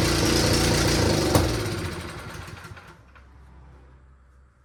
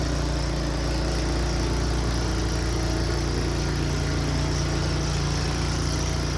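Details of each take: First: Returned snow blower small engine, starter seemingly failing (tapping it with a hammer helped), possible ignition timing issue: runs loud and fast briefly then sags and fades unevenly, hunting; erratic surging, owner suspects the switch may be involved. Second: Returned snow blower's small single-cylinder engine clearing the driveway under load: an even, steady drone with no surging or knocking, and it runs fine.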